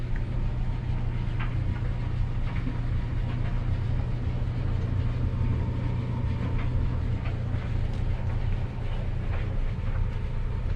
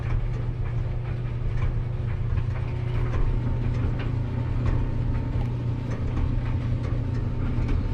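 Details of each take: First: Maytag LDE6914ACL dryer after DIY belt and drum guide replacement, after running 5–10 minutes to settle in: steady low drum rumble with no squeal, thump or scraping; smooth, even run, repair looks a success. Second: Maytag LDE6914ACL dryer after DIY belt and drum guide replacement, first run: constant deep rumble and drone from the turning drum with faint scratchy ticks; owner suspects the idler pulley and lets it run to settle in.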